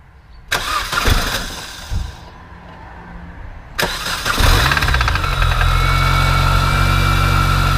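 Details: Mini Cooper S R53 on a morning cold start: brief irregular knocking that disappeared almost immediately; later it rattled constantly from 2k rpm. Owner suspects big end bearings, possibly from low oil after an oil cooler leak under a previous owner; unconfirmed.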